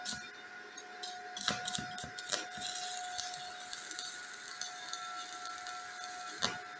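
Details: Inverter welder in a workshop powered by a solar system: quiet, steady high hum with soft crackle and occasional sharp pops, no sputtering or dropouts; arc burning normally.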